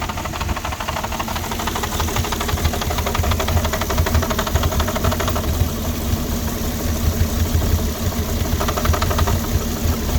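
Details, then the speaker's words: 2006 Porsche Cayenne 3.2 V6 petrol, cold and just started: uneven, lumpy, stumbling idle with a rattly edge over the low drone. Owner suspects a misfire, vacuum leak or throttle body problem; rough idle, cause unclear. "no running properly. I think got some vacuum leak. Help me guys, engine is cold, just started."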